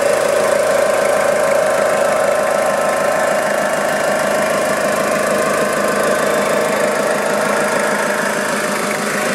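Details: Warm 2000 Toyota Hilux 5L diesel idling, timing belt and water pump already replaced; light rattly bearing-like clatter, a few beats a second, following engine speed, plus a faint whizz; engine responsive with no power loss; source unknown.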